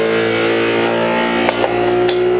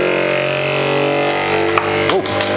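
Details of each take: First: Anycubic Kobra 3 Combo 3D printer on a desk running resonance compensation: the fast-shaking head makes a loud buzzing hum with a couple of knocks; a loose part with broken tabs was found afterwards. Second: Anycubic Kobra 3 Combo 3D printer during resonance compensation test: steady buzzing tones from the fast-shaking head, then sharp clatters as a loose part with two broken tabs rattles free.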